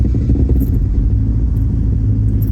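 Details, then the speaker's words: Toyota AE86 GTS with a new engine and Haltech Elite ECU tune: a weird start, then a lumpy idle with a loose metallic jingling exhaust rattle, which sometimes stops after revving. "That was a weird start, and the exhaust is rattling. You guys can hear that."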